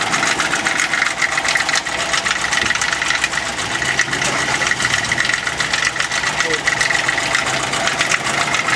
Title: RED ford knocking noise